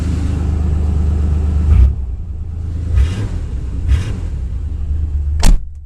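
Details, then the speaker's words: 1988 Chevrolet S10 Blazer idling with the original muffler removed during exhaust repair: a deep, loud, raw rumble with a few thumps, though not as loud as expected. Open exhaust with no muffler. "since I got the muffler off Melville started that see how it sounds like was no muffler [Music] it's actually not that loud"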